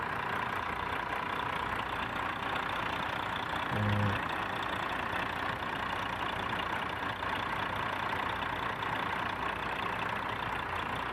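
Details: Volvo D13 truck diesel with a hard-starting problem, after a new filter housing was installed: even diesel clatter at idle with a steady rhythm and no stumbles or knocks. Healthy idle.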